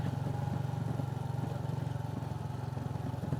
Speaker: you can hear that rattling sound coming from uh the bike, that's the back of the bike. I have a uh I have a top box fitted on the bike, but it's not well fitted. I used zip ties to fit it on the bike,